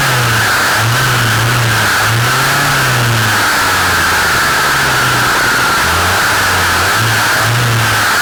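A loud, harsh two-stroke run with a steady high whine and a low note wavering as speed shifts; abnormal noise, cause unknown.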